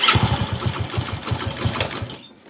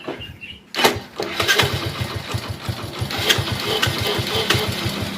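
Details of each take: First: Hero HF Deluxe motorcycle (2017 self-start) idling with light busy metallic clatter over steady thumping: timing chain rattle, timing chain kit needs replacing; no self-motor noise. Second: Hero HF Deluxe motorcycle after self-starter motor repair: quick, clean electric crank catching at once into an even single-cylinder idle with no starter noise; only timing-chain sound remains.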